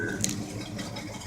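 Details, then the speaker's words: 1984 Chevrolet pickup truck, carbureted 305 V8, cold start; steady, even low rumble at idle with no knocks or misses, running open without exhaust; healthy. "appreciate you watching the video it sounds pretty good sounds like a healthy 3:05 to me and see you later"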